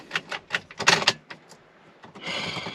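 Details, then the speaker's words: Dodge Durango in park: turning the key gives a few quick dry clicks instead of cranking, not a dead battery; a very loose battery terminal connection was found, and the engine later started and ran. "okay so that doesn't sound like a dead battery that sounds like a bad connection somewhere"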